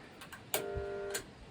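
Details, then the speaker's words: Swimming pool pump motor switched on: click, half-second electrical buzz without spin-up, another click; motor fails to start because start capacitor is dead after heavy overheating; capacitor replaced. "Donc là, il s'active pas du tout le moteur. Il s'active pas à cause de ? À cause du condensateur, du condensateur de démarrage du moteur qui est HS."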